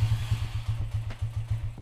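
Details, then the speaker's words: 2010 Minerva R150 VX, PE28 carburettor, before float adjustment: low, uneven chugging pulses about five a second as engine labours and won't settle; hard starting, owner suspects carburettor float setting. "Oke sesuai judul gua hari ini mau mau setting-setting dikarbu terutama ini pelampungnya karena gua gue coba starter ini susah hidup"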